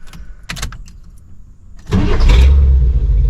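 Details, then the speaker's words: Chevrolet Suburban V8 with new Evil Energy 600 CFM carburetor, engine at operating temperature: brief crank, then catches at once and settles into a deep, steady burble; normal hot start. "Idle down nice. See how she starts at temperature. Last test and we'll wrap this video up, guys."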